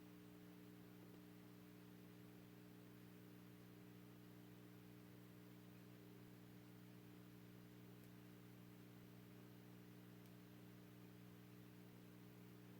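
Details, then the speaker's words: 1928 Stewart Warner 801B AC-powered TRF tube radio after cleaning the tubes and sockets, tubes possibly weak: steady low mains hum with stacked overtones and no station or voice coming through; set hums but receives nothing. "not a lot of activity there this is worse than I thought"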